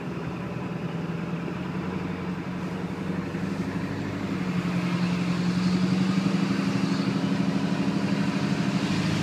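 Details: Ford 7.3 diesel turbo engine running cold: loud, rough drone that swells, then settles to a lower idle; cause unknown, owner is asking for ideas.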